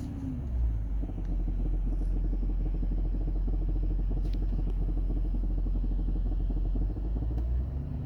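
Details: 2015 Range Rover Sport L494 SDV8 4.4L diesel idling in park, heard from underbody and cabin: deep rumble with a dull uneven knock about four a second, front left; revving suppresses it, cause unknown, owner suspects something loose.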